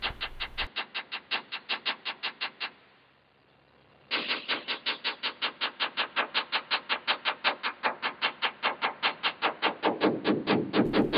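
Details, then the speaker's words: Tap test on a Grumman aircraft's aluminum bond lines: quick steady taps, solid hits on good bond, hollow ringing "uh-oh" sound where the bond line has delaminated. "that's the uh-oh sound. You don't want to hear that."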